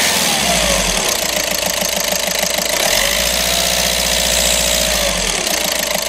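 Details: VW Golf 6 after crank-no-start fault traced to engine ECU relay; engine catches and settles into a steady idle with even low pulse, no knocks or misses; normal idle.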